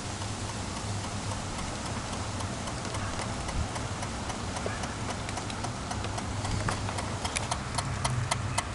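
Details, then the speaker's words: 1995 VW Golf with key removed: rapid, uneven clicking about three or four per second with ignition off; stops when the light is turned on or key inserted, returns after key is removed. "So there's a clicking, and when I turn the light on, clicking stops. There is no key."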